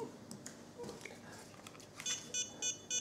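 Four quick, high electronic beeps evenly spaced about a third of a second apart, a normal transmitter power-on signal.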